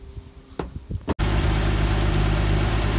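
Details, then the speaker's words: Squad car project car running after its first start in over a decade, with fresh oil and fluids topped up: a few handling clunks, then a steady, even idle with no knocks or misfires; engine running well. "things are starting to take shape the car is running well I got a old fashioned beacon mounted on the roof"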